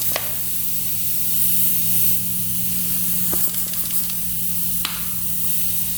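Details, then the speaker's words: 1995 Honda CR250 engine under a pressurised leak-down test: continuous steady airy hiss over a low compressor hum. A bubble shows a leak at the gauge attachment fitting, which still leaks after Teflon tape is added. "there's one right here that's a big bubble for me yeah there's a leak right here"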